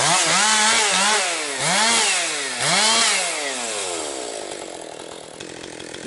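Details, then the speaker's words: Husqvarna 262XP two-stroke chainsaw after rebuild, breaking in with compression up, cutting low-grade pine firewood; crisp revs bogging and recovering about once a second per cut, pulling cleanly and strongly. "It's uh running really strong now. Now she's breaking in that uh really picking up power."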